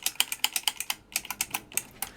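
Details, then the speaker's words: 1974 Midway Twin Pirate Gun electro-mechanical game, main program stepper that wasn't advancing now indexing cleanly after adjusting its retention springs: crisp evenly spaced ratchet clicks, about seven a second with one short pause, no skipping. "Right, this main program stepper wasn't advancing. Um, so basically I've just adjusted this retention springs now basically fire. It's actually advancing pretty much perfectly"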